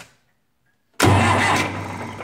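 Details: Massey Ferguson 180 diesel tractor after running out of fuel, brakes on, clutch in, not in gear: silence, then starter catches and engine churns over steadily before fading, cranking to purge air from injectors during bleeding; normal cranking.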